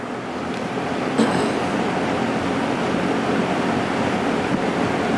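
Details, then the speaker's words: JCPenney 9711 Lakewood three-speed box fan, 3.1 amp GE motor, left running through dinner, drawing 1.5 amps on low: smooth even rush of air with faint steady whoosh on medium, no ticking or wobble; running normally. "I went upstairs to go eat dinner and I left this fan running and it seems to be running just fine on low 1.5 amps"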